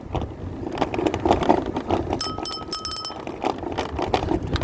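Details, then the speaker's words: Rented Martı electric moped being ridden on the road: irregular light clatter and loose tapping over tyre and road noise. Something is rattling loose, likely from heavy daily shared use; the source is not confirmed. "biraz takır takır ses geliyor ama Tabii günde kaç tane kaç yüz tane insan kullanıyor bunları"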